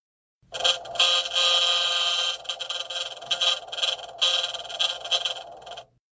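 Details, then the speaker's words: LG Tiiun plant-growing appliance fan; fast irregular rattle with a high whine in bursts, caused by a foreign object on the fan or motor icing, which needs removal or de-icing by service; fan rattle and whine. "식물 재배기 4 팬에 간성 물이 있거나 모터 결빙 식 다다닥 지인 웽 같은 이상 소음이 발생할 수 있습니다"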